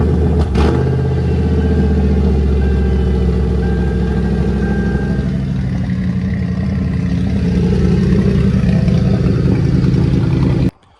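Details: 2003 Ford Crown Victoria P71 ex-police car, cold start recorded from inside: loud, uneven idle with a lumpy skipping beat; cylinder misfire, owner says spark plug threads need rethreading.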